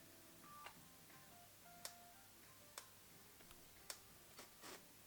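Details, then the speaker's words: Nikon AF-S Nikkor 70-300mm f/4.5-5.6G ED VR lens. Soft, sharp ticks about once a second show the VR stabilizer working normally below 100 mm. Known fault: VR shuts off completely once zoomed past the 100 mm mark. "Watch what happens when I get close to the 100. The VR's working. VR's working."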